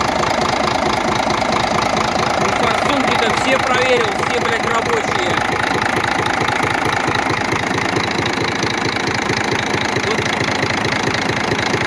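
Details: Scania diesel at idle with valve cover off, about to disable unit injectors one by one: steady metallic knocking about two per second; cause not confirmed.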